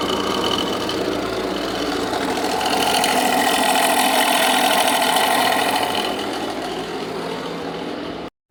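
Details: Jeep Renegade 2.0 MultiJet diesel at idle: steady regular clock-clock knock about three times a second, seeming to come from the accessory belts; engine knocking noise, cause not yet confirmed, belt removal test next.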